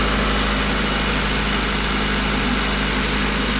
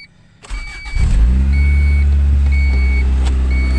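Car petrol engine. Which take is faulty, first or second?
second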